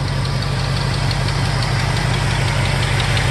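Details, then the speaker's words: 1969 Ford F250 Camper Special, factory 390ci V8, odometer 38 (likely 138) thousand, heard outside at idle: steady, even, quiet low rumble with no knocks or ticks; healthy idle. "the engine running. Nothing amazing to report here. Nice and quiet, especially for a 390."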